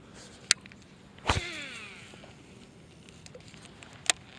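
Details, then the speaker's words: Late-1990s Shimano Curado CU-200 baitcaster after one drop of oil on each bearing to cure screechy casting: click, then brief smooth spool whirr fading within a second; first cast quieter, some gear noise remains when reeling. "hey first cast was a bit quieter but it's too early to say it was a success"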